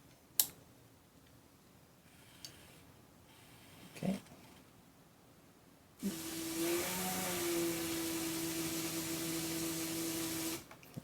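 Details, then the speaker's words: Empulse coolant refill: pump run manually via jumpers, after a few clicks steady mid-pitched whine and rushing flow for about four seconds, then stops; coolant pump running normally. "so now let's put the relay back in actually let's let's run it real quick just to make sure it's running properly"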